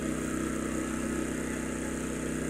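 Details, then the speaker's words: Champion 200961 2500-watt dual-fuel inverter generator on propane, powering an air conditioner, owner estimates near its 1650–1750 running-watt limit: even, steady drone at constant speed without surging or misfire; normal running under load. "But it's doing everything I wanted it to do on propane. And you get a few more running watts out of gasoline."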